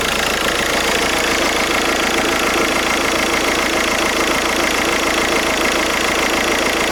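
Diesel idling with a steady, slightly uneven clatter and a rough rasping layer on top, suspected to come from a failing alternator.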